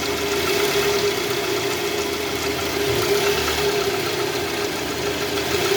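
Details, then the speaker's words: Toyota Vellfire 2AZ-FE, 141,000 km, oil pan never removed, oil light flickering when revved: idle in R or D is coarse and gravelly with a faint hum from the oil pan area. Balancer shaft failure, found destroyed, gear debris clogging strainer. "ni kita coba dengerin dulu suara mesinnya guys suara mesinnya cukup kasar mulai trek bunyinya gas"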